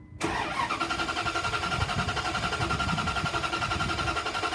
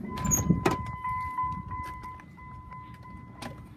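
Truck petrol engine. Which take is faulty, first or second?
first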